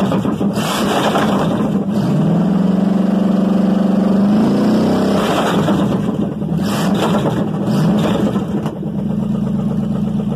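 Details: Chevy 305 V8, first start in years; revs up cleanly and settles back to a steady even beat, no misfire, knock or tapping, runs smooth; normal running.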